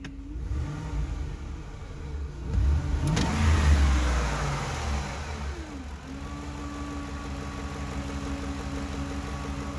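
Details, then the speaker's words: Engine revving: steady low hum rises and swells with revs then settles to smooth idle; no check engine light, no rough idle, no vacuum leak found, throttle and MAF cleaned; owner wonders about IAC, pulley not ruled out, source unclear. "yeah you can hear the humming sound so there we go let me know what you think no check engine lights no rough idle just this humming sounds driving me nuts and it doesn't sound like it's a pulley but I mean I can't rule it out"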